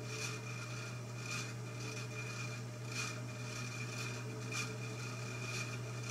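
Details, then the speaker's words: 1948 ILG model 213 electric exhaust fan, previously rewired, on its first test run on low speed: a steady low electrical hum with a soft even whoosh; it runs really smoothly. "i did notice that low speed did run really smooth"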